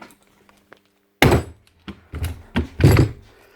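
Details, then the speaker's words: Logan Tools (Titan-type) electric breaker before repair: quiet, then heavy irregular thuds about a second apart as the hammer action keeps dropping out; suspected worn seals losing compression or dryness, later found to have heavy grease and worn O-rings. "Hammer for a bit and then she'll drop off the hammer. Two possible things that could be wrong there. Seals are gone and she's not getting proper compression, or she could be bone dry."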